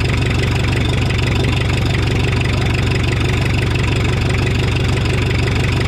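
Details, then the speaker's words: 1984 Mazda B2200 with 2.2L Perkins diesel, first start after sitting since 1998, fuel system losing prime, coolant leak: steady even diesel clatter at idle with firm low thump, no misses, little exhaust smoke; running healthy. "sounds good it's got a little bit of exhaust"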